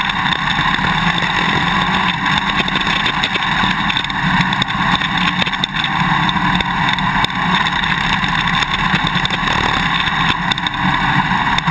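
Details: GoPro Hero 2 mounted on a motorcycle swing arm: sharp irregular clicks over engine and wind, quickening on rough ground. The quick-release buckle is chattering loose in its mounting bracket; fix is the vibration plug plus tape or straws between the parts.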